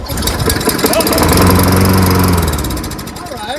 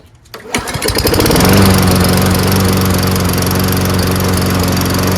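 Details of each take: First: Toro Recycler 22-inch front self-propelled mower, Tecumseh engine and carburetor with primer bulb, air filter off and ether sprayed in intake: catches and runs rough about a second then dies; dirty carburetor. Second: Toro Recycler 22-inch front self-propelled mower with Tecumseh engine and primer-bulb carburetor, after carburetor clean and front drive fix: pull-start, quick catch, then an even steady drone holding speed without surging or stumbling; runs healthy.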